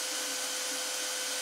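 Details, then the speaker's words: 3D printer (RAMPS 1.4, E3D V6 hot end at 190) with the case opened: the hot step-down unit is the noise source, and warm air blows from a fan. A constant airy whirr with a steady whine, loud cooling fan noise. "Now you can probably hear a lot more noise. It's this unit that gets hot. Nothing else, it's this. Well, I can feel, it feels like warm air blowing out of this fan here"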